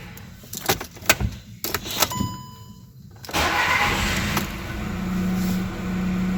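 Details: VW Golf (Mk6/Mk7) with a no-crank, no-start fault tied to ECM power relay J271 control, P0685: a few clicks and clunks, then the engine catches and settles into an even idle; normal start.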